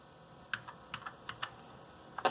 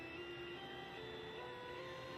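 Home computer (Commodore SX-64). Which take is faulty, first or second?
second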